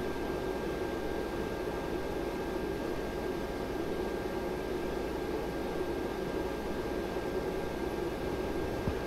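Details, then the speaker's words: ARAID 3500 backup drive enclosure running with the server powered off, stock fan: steady airy whoosh with a faint constant high whine and no rhythm; the stock cooling fan simply runs loud. "okay so with the server off there is a notable difference but there's still a lot of noise coming off just the backup unit"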